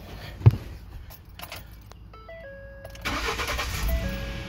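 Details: 2012 Ford F-150 with intermittent crank-no-start, after replacing burnt fuse 27 (fuel pump relay power): key click and dash chimes, then the engine catches cleanly and settles into an even run; normal start.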